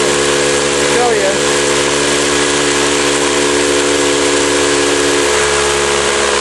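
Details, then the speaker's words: Campbell Hausfeld 20-gallon oil-less air compressor that won't build or hold tank pressure, with no leaks found: steady motor drone and a constant airy hiss at the outlet, pushing little air and weak enough to block with a thumb; worn compression ring. "you know I'm not so sure but I don't think I should be able to hold my thumb against that so I'm going to take it apart anyway be right back"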